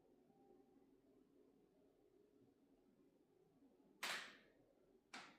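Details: LG OLED 77-inch G5 TV switched on in a quiet room gives two sharp popping cracks about a second apart.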